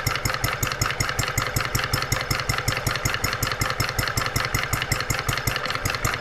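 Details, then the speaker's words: Brand-new Stirling Kit hot bulb horizontal mill engine (9" cast iron flywheel) on its first start out of the box at 74°F room temperature, mixture richened. It gives crisp, even chuffs a little under two per second over a steady clatter, water pump and check valves working. Normal running. "we starting to get water flow our water pump is working our check valves are working what an incredible brand new engine listen to it"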